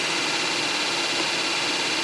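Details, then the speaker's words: 2008 Saab 9-3 with an overheating complaint, after replacing the faulty fan control unit: the cooling fan runs at speed 1 with an even, steady airy rush, no surging, rattling or scraping; all four fan speeds now work. "So I'm going to reactivate the fan to see if the problem is fixed. In case as you see the the first speed is working now."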